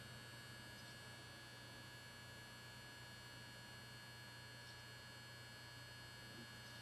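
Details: PC constantly emits a very loud electrical buzz with a low hum and thin high whine that doesn't stop on reboot; it stops at shutdown, returns hours later under light use, and goes away when the case is tipped over; source undetermined.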